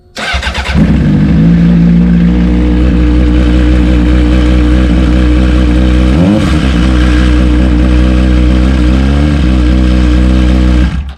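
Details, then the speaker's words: Honda CBR600RR stunt bike idling and blipped, with a loose metallic rattle riding over the firing beat. The rattle comes from the clutch basket, traced to a small pin or bracket holding the shift rod. "noise right that rattling is coming from the clutch basket actually it's one of the little pins for the shift Rod"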